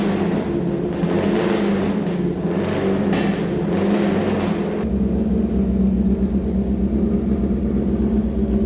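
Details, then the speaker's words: Suzuki Bandit bobber just started on choke: steady, even, lumpy idle with a firm low exhaust beat and no knocks or misses; sounds healthy, no exhaust smoke, only a little smoke off the oily heat wrap. "sounds healthy, runs well."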